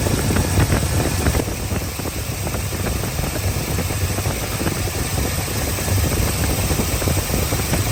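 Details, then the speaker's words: Square-body Chevy with 350 V8, running again after six months off and a broken starter bolt hole repair: deep, even rumble holds steady with no misses or knocks; smooth, healthy idle. "Man, does it feel good to hear that sound again? Well, well, well. She finally runs again since last November, which is 6 months at this point, half a year already."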